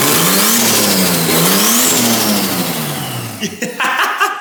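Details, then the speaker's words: Barn-find R32 Skyline during restoration, running with no exhaust fitted: loud open-pipe engine revving up and down, rough and raw, with a faint turbo flutter between revs; starts and runs fine. "nah she's all good just a little bit of no exhaust you can't really hear like yeah you can hear a little bit of flutter though which is awesome"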